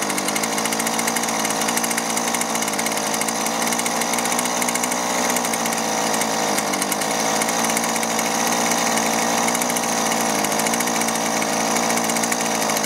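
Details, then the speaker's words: Husqvarna 128LD string trimmer started on choke after rotten, leaking fuel lines and the fuel filter were replaced; a high-pitched two-stroke buzz holds steady at high revs with no surging, running healthy before the low- and high-side carburetor adjustment. "all right beautiful and it's not running that bad but i'm gonna go ahead and take our carburetor adjustment tool adjust the low side first and then the high side"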